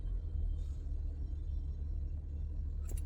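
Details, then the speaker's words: Acura TL flood-salvage car with 138k miles and very low oil: a quiet, steady low idle rumble with no ticking, knocking or roughness. Sounds super healthy. Normal idle. "We want to listen to the motor. Sounds super healthy."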